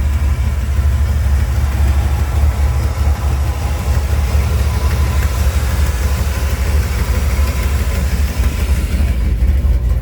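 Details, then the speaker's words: Dodge engine at idle, with vacuum leaks and fueling already ruled out: deep, uneven low pulse of about ninety beats a minute, loudest at the tailpipe, that dips back after revving; a dirty air intake was suspected, but cleaning it didn't help. "You can see it's got a little bit of hesitation to it. When I rev it up, it runs fine for a few seconds and it goes right back down."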